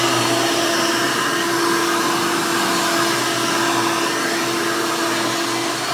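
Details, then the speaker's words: 1991 Hoover Elite 350 upright vacuum, model U4463-9, motor-swapped with a later 7-8 amp motor: loud steady high whine, no surging, rattling or grinding; runs smooth, just noisier than the original. "let's go ahead and turn this thing on and you can hear it and all it's screaming overly loud hoover glory"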